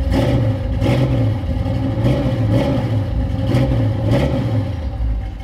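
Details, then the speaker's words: High-compression small-block Chevy 350 V8 ("Iron Man"), started with a jump box after sitting unused collecting dust, runs with a deep, strong burble, revs cleanly on quick blips and settles to a steady idle; healthy. Owner still to check battery versus alternator. "but yeah man we got big bad Iron Man started up bad boy cleaned up"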